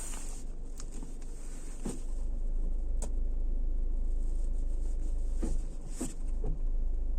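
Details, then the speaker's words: 2020 Geely Atlas at 4,881 km: steady low idle hum broken by sharp single knocks when shifting between drive and reverse. Owner suspects driveline play in the BorgWarner coupling, U-joints or splines. "Но таких ударов, когда переключаешь с драйва на R, у меня не было на машинах японского производства, даже на 150 тысячах пробега."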